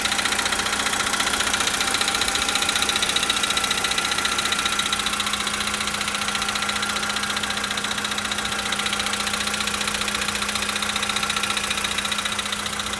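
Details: 2013 VW Polo Sedan, 65,000 km, cold start: cold idle with a sharp, even tick-knock about four times a second over the engine hum; engine knock of unknown origin.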